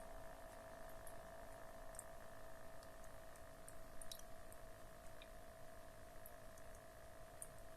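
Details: Cat water fountain pump, mounted on rubber inserts and foam to cut vibration, still gives a constant mid-pitched electrical hum under soft trickling water; the noise scares the cat away; pump hum.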